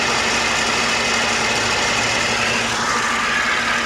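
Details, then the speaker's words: Older Mercedes at auction with decent miles: the idle has a harsh, busy, hissy clatter over a low hum, far too loud from under the hood. Cause suspected, not confirmed. "I definitely hear something going on under the hood here that sounds way too loud you tell me if I'm wrong but I don't like the way that sounds"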